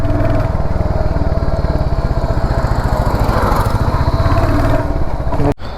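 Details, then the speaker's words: Royal Enfield Hunter 350, the day after its third service: steady thumping single at low speed with a dry tar-tar rattle on each beat from the engine area; cause unknown, rider plans a check. "मैं कल bike service में दिया था ना third service में मेरा bike तो उसके बाद से यह य य आप सुन रहे य से यहां से आवाज आ रहा है पता नहीं क्या आवाज है"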